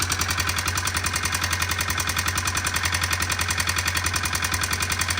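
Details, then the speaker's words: Honda FourTrax 300 4x4 quad with new aftermarket carb, owner-adjusted valves, idle turned down after choke start: sharp even tap three to four times a second over firing; top-end tapping, intake valve clearance suspected, not confirmed. "Now that it's down, it kind of sounds like it could be the intake valve. Yeah, I feel like it's up here."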